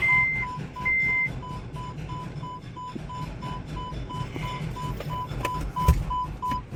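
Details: MG Hector petrol automatic, 2020–2021: steady repeating warning beeps over a quiet idle. First and second gears engage but reverse will not. Transmission control module power feed has an open circuit.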